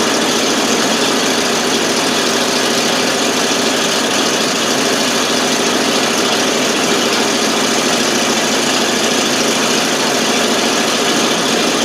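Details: 1988 FMC 6000 with 5-speed, hard start traced to no fuel reaching the carb, started with starting fluid: steady, even exhaust rush at idle with no stumbles, now running by itself.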